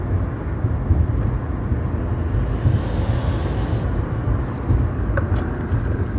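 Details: 2014 Subaru Forester XT Touring, warm and under load: heavy low engine drone with a faint fluttering whir. First suspected as knock, it proved to be an exhaust leak past the manifold gasket from under-torqued exhaust manifold nuts.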